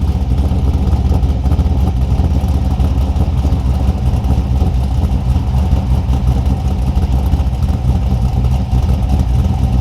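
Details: 2002 Pontiac Trans Am with a 383ci LS1 stroker, cold start after fixing a cam sensor fault by extending the cam harness, 40 psi oil pressure: a deep, steady V8 lope at cold idle with no tapping or misses; healthy.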